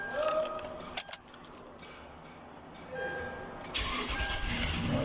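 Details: 2015 Toyota Sequoia that cranked but wouldn't start due to a failed fuel pump control module, now fitted with a replacement module. After a few quiet seconds the engine catches and settles into a steady run; it starts normally.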